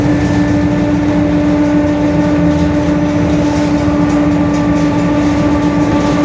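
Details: 2021 Mercedes-Benz OF-1721 BlueTec 5 bus with a Marcopolo Torino S 2018 body, long wheelbase, urban service, at cruise: a steady, fixed-pitch hum and growl under the road and engine noise, identified as the differential growling.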